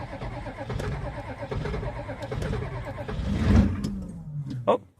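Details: Old Ford IDI diesel truck with electric fuel pump, glow plug cold-weather override and push-button starter; glow plugs clicking, even cranking, fires within seconds into steady low rumble; clean cold start.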